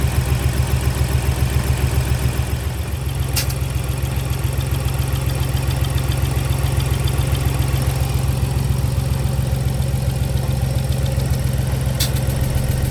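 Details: Ford Explorer naturally aspirated V6 idling lumpy with a regular clatter about twice a second; misfire on cylinders 1 and 2, spark present, injector swap left code on cylinder 2; worst feared, checking compression.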